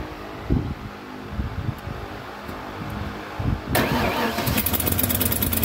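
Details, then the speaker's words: 1993 Ford F250 302 5.0 V8, after replacing cut-up vacuum harness and new throttle mix screw: even cranking, then fires cleanly to a smooth steady idle; much better start than ever, massive vacuum leaks gone. "Running pretty good. So this is a much better start than we've ever had out of this thing."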